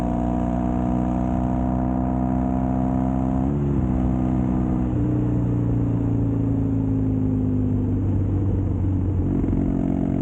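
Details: Custom Triumph Bonneville T100 with Down & Out drag pipes, after stage 1 torque kit and stage 4 ECU remap: deep grumble rising smoothly through gears, clean on overrun, no popping or backfiring; normal exhaust note.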